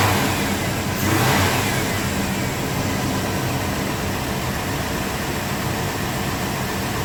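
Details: 1997 GMC Yukon 5.7 L V8 after new injectors: catches a sharp snap of throttle, climbs cleanly and settles back to a steady, even run with no misfire or stumble; normal running.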